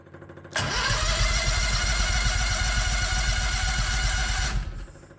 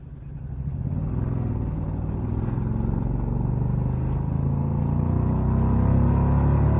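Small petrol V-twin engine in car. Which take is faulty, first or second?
first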